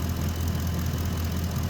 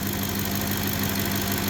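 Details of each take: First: 2010 Ford F-150 5.4 V8 warming up after an oil change: quick, light ticking over lumpy idle from both exhaust manifolds, despite two manifolds and stainless bolt kits replaced per side; ticking fades when hot from expansion. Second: 2010 Ford F-150 5.4 V8, almost 180,000 miles, warming up with wrench light and oil change soon light on: steady even idle, constant low drone, no tapping, stumbling or misfire; normal idle, not in limp mode.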